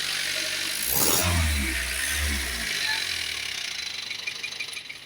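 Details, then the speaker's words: Old Bison diesel after the fuse fault cutting power was fixed, started after a brief warm-up wait: brief crank, rough catch, then steady diesel clatter at idle; normal start and idle. "Kita panasi sebentar, ini mobil tua ini Bison. L300 juga sama aja. Sekarang kita hidupkan. Khusus mobil tua ya. Sabar sebentar untuk pemanasannya."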